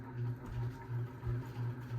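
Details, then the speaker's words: 52-inch unknown-brand bronze hugger ceiling fan (Harbor Breeze brackets, Hunter blades, Patriot Lighting Arthur housing) on high speed: low hum pulsing about three times a second with rotation; wobble and buzz, owner suspects a flywheel out of balance. "It does wobble, but that's okay. I think one of the flywheels out of clock."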